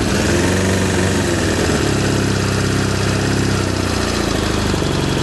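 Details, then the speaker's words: Suzuki Bandit 600 motorcycle at idle with a little choke: lumpy, uneven idle, exhaust pulses skipping, coughing and spluttering; misfire, owner suspects one cylinder not firing, judged by feeling which exhaust header stays cool. "That's a little bit of choke, but you can hear it coughing, spluttering again. So, that's what's making me think it might be that one."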